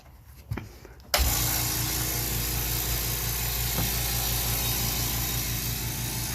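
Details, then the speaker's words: Husky 4.5-gallon 175 psi "silent" portable air compressor starting about a second in, then running at a low, steady, even hum with a light regular pulse; quiet enough to talk over, normal running. "way quieter you can hear me talking actually like comfortable"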